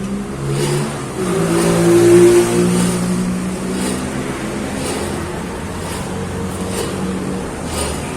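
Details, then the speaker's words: Nissan Frontier 4x2 lifted with the wheel spun by hand and brake released: steady low hum with a rough, rubbing growl and felt vibration from a dry, worn wheel bearing, later replaced. "parece que suena ellos por rodamiento cuando en viajes tiene a sonar como un roce bueno vamos a ver si podemos enfocar el ruido del rodamiento desde este ángulo"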